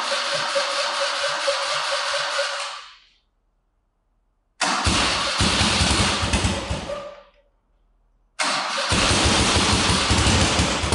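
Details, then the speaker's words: First start of freshly rebuilt BMW R90/6 boxer twin, 1000cc Siebenrock power kit, dual-plug heads, high compression: catches and runs in short even bursts, steady beat, no knocks; sounds healthy, possible starter or exhaust leak noise to check. "It sounds healthy. It sounds It sounds great, in fact."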